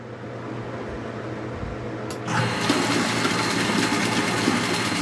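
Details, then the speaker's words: Water pump with press control (pressure switch) after repair, running with the valve closed to pressurize the system: a sudden whirring hum that runs steadily with no rapid on-off cycling. "Let's turn on the pump and we're going to close the valve so that it pressurizes the system"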